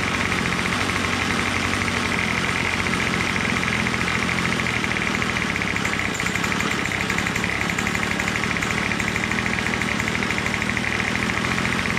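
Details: Troy-Bilt TB22 two-stroke trimmer with new carburetor, after tightening loose engine-block Torx bolt (suspected compression leak): loud steady buzz at even speed, no misses or surging; running properly.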